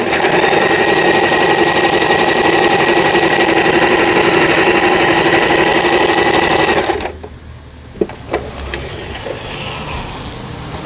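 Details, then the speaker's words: Lion Mising-sold Janome Harmony 2041 household sewing machine, about 20 years old, after repair of lower shaft gear/shuttle race timing that failed to pick up bobbin thread: steady needle chatter about four stitches a second, even motor whir, stops cleanly; all functions sewing normally. "각종 기능들 정상적으로 박음질돼서 영상을 올려드렸습니다. 라이온 미싱에서 판매한 잔우메사의 하모니 2041이라는 기계 수리를 마치고 박음질하는 영상이었습니다."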